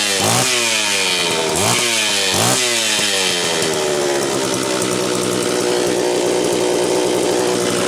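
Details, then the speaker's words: Homelite Super XL-925 chainsaw with good compression, double governed (factory hole in high-speed nozzle plus governor assembly), not yet tuned: revs climb in quick sweeps then settle into a rough burbling drone instead of screaming; loading up at high rpm. "remember this is double governed it's got a hole that is Factory in the top of the high speed nozzle and it's got the governor assembly on the side so it's not going to sound that impressive revved because it's going to load up"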